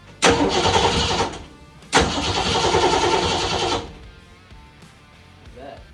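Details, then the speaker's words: 1966 Mustang with a newly swapped Ford 302 V8 cranking in two bursts of a few seconds each, one sharp pop at the second, never catches; owner reports no spark, cause not yet confirmed. "Problem that we're having is the car is getting no spark."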